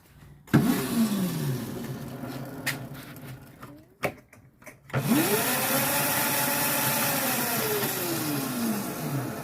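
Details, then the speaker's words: Restored Razor Pocket Mod electric scooter switched on: motor whines up smoothly, holds a steady pitch and winds down evenly with no grinding or clicking; sounds healthy. "That sounds pretty good. She's alive. She's alive."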